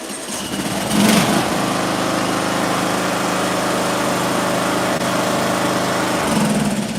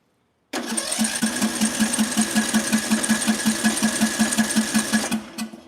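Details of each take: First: A few pulls, then a small engine catches at once and runs steadily with the ignition coil air gap backed out to maximum after the spark plug gap was closed up. Normal running; the recommended coil gap is .010. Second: Small-engine ignition coil air gap set much wider than the recommended .010 in: it sparks weakly and cranks with even pulses of about five per second but never runs. No start, choke off.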